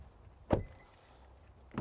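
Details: Subaru with push-button start, locking with the key left inside after the PIN code feature is set: two quick solid clunks about a second apart; door lock actuators working normally.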